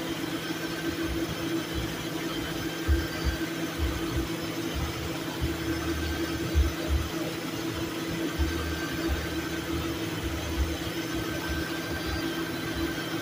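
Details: Lincoln Town Car at idle, AC on: low thump of compressor clutch engaging and dropping out every few seconds, short-cycling; owner adding R134a refrigerant as low charge is suspected.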